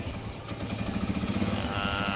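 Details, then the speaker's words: Kawasaki Bajaj CT100 single-cylinder after timing chain replacement: quiet, steady even idle with light regular patter, the earlier grinding from inside the engine gone; normal idle. "So nawala na yung kaninang parang parang may gigiling sa loob, parang may gilingan sa loob ng makina. Ayan o. Tahimik na siya."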